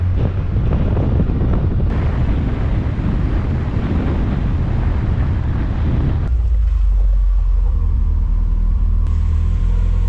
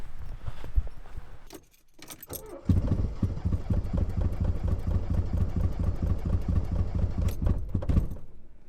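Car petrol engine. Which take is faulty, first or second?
second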